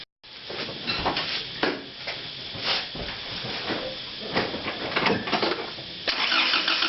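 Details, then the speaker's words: 1995 Holden Rodeo 2.6 right after a diff and engine oil change: engine runs with an uneven clatter of sharp claps it did not make before, cause unclear; otherwise responsive and healthy. "you can hear the motor making a different noise a sort of clapping noises"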